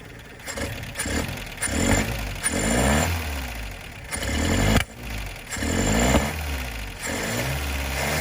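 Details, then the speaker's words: 1972 Plymouth Cricket after carb swap and filed points; rough idle with loose valve clatter; owner suspects valve lash out of adjustment, one or two tight, possible backfiring and imbalance; no ignition crossfire heard. "now the valve sound loose you can hear them pretty good but i'm thinking that there's probably one or two of them in a little tight part of that might be the back firing through there but it's also the imbalance"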